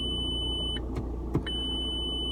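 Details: 2007 Audi A4 S Line Estate 2.0 TDI with dead automatic gearbox, engine idling: steady high-pitched warning tone pausing with clicks; low coolant warning, coolant reservoir has no water in it.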